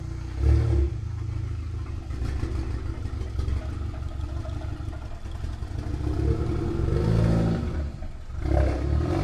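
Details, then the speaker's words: Auction-bought German car of unknown history, oil level unknown, first start: deep, uneven, blatty idle with ragged low pulses and louder surges; rough, loud exhaust note at idle, cause not yet known. "It sounds terrible. >> Sounds terrible. >> I hate how it sounds. That sounds so bad."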